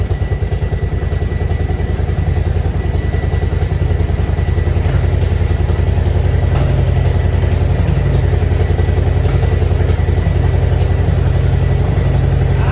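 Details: Grandpa's Harley-Davidson V-twin, off the road 15+ years, idling after the ball fix: steady loping idle with an even potato-potato beat of about three to four pulses a second and no knocks. Better than before, though oil still aerates.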